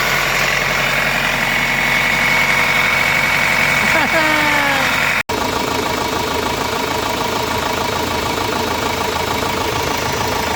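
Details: Renault Master diesel, gear-and-timing-belt engine, after timing belt replaced and engine turned over: steady, even diesel clatter at idle with no knocks or misses, running smooth and healthy.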